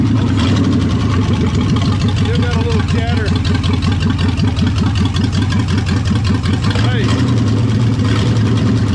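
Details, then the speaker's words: 1973 Mercury Comet GT 302 V8, 3-speed, revived after 35 years sitting: idling and blipping with a light, quick ticking over the rumble, about two or three a second; valve chatter, two valves found not working from loose rocker adjuster nuts. "i see two that aren't even uh the valves aren't even working this one and this one oh boy just loose"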